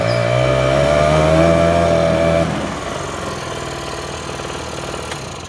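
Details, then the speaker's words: Small two-stroke scooter with a bad front tire, failed electric start relay and dead turn signals: buzzy revs with rising tone, then settles to a fast, even idle; runs normally. "I've actually got one I just haven't wired in and turn signals don't work and it needs a headlight bulb so really just dumb it runs friggin man"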